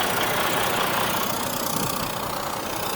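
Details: Truck just collected from Freightliner after repairs including head gasket, hood open: even, steady diesel idle with regular clatter and no misses or knocks; healthy and settled.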